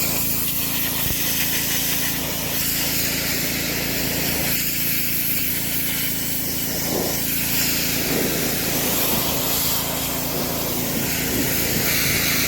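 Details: DeWalt DXP3123 pressure washer with Honda GSV170 engine, pawn-shop unit with old gas and a missing air filter housing, after line purge: steady, even engine drone under constant spray hiss, no surging or knocking; plenty of pressure, normal operation under load.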